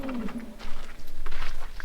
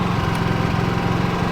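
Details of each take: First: Generator powering a welder during trailer repair: engine cuts out to near silence, then cranks, catches and settles into a steady even drone; repeated stalling, cause unconfirmed. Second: Generator switched to 240 volts, temporarily rigged to power a welder: steady small-engine drone with even low pulse, no hunting or surging; holds speed smoothly under welder load.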